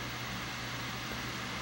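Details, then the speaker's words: Wii after its constantly ejecting disc drive was replaced with a new drive: quiet, even whir with a faint steady hum and no clicking or scraping, much quieter than before; the drive runs healthy. "more quiet much quieter yeah whatever and definitely sounds good"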